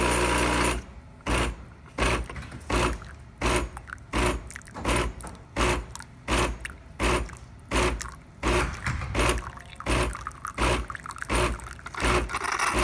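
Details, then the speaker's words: DeLonghi Nespresso Lattissima Pro brought in for not frothing milk, tested with water instead of milk after cleaning: steady pulsing pump, about eighty throbs a minute, with steam hissing between pulses; frother draws water through normally, no blockage. "you can see that it is performing as it should so yeah this is clean and steam is making it through pulling the water through and not the spout"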